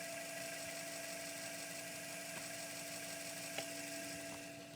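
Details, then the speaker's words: Untested PC floppy drive with clean heads, microphone near the disk, spinning up: steady high whirring with hiss and a few sharp ticks; unhappy drive sound, RPM test fails, cause unknown, capacitors possibly suspected. "that is definitely like an unhappy Drive sound right there let's try testing the RPM here sounds like it's not working correctly and I couldn't tell you why"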